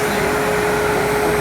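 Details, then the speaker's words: Hayward pool pump with replaced module, now driven by a 220V Huanyang VFD controlled via ESP8266, ramping up to 3600 rpm; smooth constant motor hum, steady mid tone and airy rush, no grinding or rattle; normal running. "now the pump is stopped ramping up he's going to go to the 3600 rpm"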